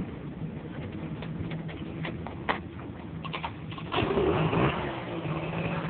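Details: Honda Dio-2 50cc two-stroke scooter, stock piston, rings and bore, with an HHO cell module wired to a dead battery: steady idle, then blips up in revs and settles back; crisp, even running; normal idle and revving.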